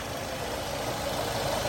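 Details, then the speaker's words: 2005 Nissan X-Trail 250X started after sitting 17–19 months with old gas and a weak 12.3 V battery: smooth, even idle with steady rumble, no misses, ticks or knocks; running normally while warming up. "But look at how smooth that is. It's still running really good, you guys. It's starting to come up to temperature now, so it's running perfect."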